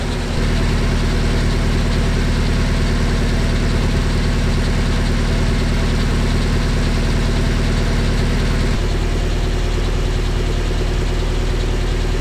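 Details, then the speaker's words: Willys Jeep, carburettor rebuilt with original parts, cold with no temperature showing, good oil pressure, on choke: steady, even low thrum at quick idle, no knocks or misses, settling as it warms; normal fast idle. "still got a fast idle going no temperature showing yet good oil pressure just heating up"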